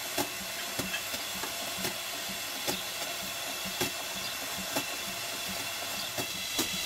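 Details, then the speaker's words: 4.5-inch scale single-cylinder showman's traction engine at almost full working pressure of 110 psi: steady steam hiss with irregular sharp pops as the safety valve starts blowing off the excess. "so this is the engine at almost full working pressure which is 110 pounds per square inch the popping that you can hear is made by the safety valve as it starts to blow off the excess"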